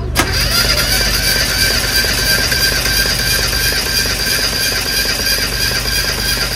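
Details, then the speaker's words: Warm engine, compression test with throttle held open, out of gear: brief start-up blip then steady even cranking rhythm; cylinder reads 217 PSI, good compression, no problem with that cylinder. "stop all right we got a lot of compression so lot of compression 217 PSI"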